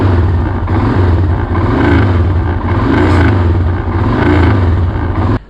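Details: Royal Enfield Himalayan single-cylinder thump with light tapping rattle from the front, caused by loose headlight mount vibrating; fixed practically free.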